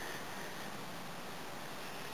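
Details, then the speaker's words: Air compressor with a newly installed air dryer, after charging to its shut-off point: a steady, even hiss from a small leak at a hose fitting, which is to be replaced. "tiny little leak from this one so I'm going to replace that tomorrow"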